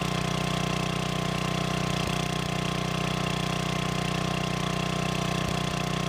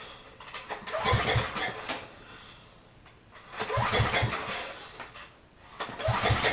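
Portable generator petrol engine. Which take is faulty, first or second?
second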